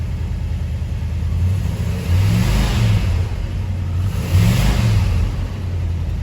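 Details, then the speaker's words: 1975 International D150 V8 after fuel pump replacement and carburetor rebuild, fed from a small gas can: deep, even rumble rising with throttle blips and dropping cleanly, valve train quieted since first start; smooth, no smoke, oil pressure gauge reading nothing. "Se ha suavizado desde la primera vez que lo encendí [El tren de válvulas] definitivamente se calmó"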